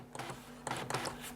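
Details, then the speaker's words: Amstrad DMP3000 dot-matrix printer (with the PC1512), paper loaded, line feed: short clean bursts of mechanical whirring as the paper steps, with no grinding. The feed mechanism works normally. "so the feed mechanism works as well"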